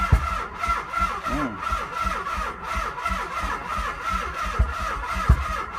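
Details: 1995 Nissan 300ZX, no battery fitted, cranked via jumper cables: slow, uneven starter chugging about 86 a minute that never catches: crank no start.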